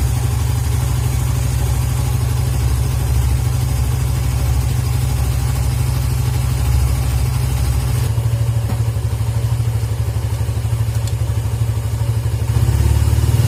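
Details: Suzuki GSX motorcycle whose stumbling or near-stalling on closing the throttle was traced to a dirty idle speed control (ISC) valve, fixed by cleaning it. Deep, even idle beat that picks up smoothly with throttle and drops back without stumbling or dying. Normal.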